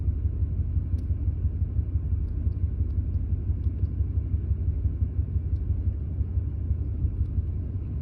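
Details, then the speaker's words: 2001 Ford F150 at warm idle, fault appearing once at operating temperature: deep uneven rumble with irregular stumbles about three per second, random misfire with erratic spark advance and fuel trims; cause unknown, new coils and plugs planned. "okay this is truck at an idle as you can probably hear there's quite a mess"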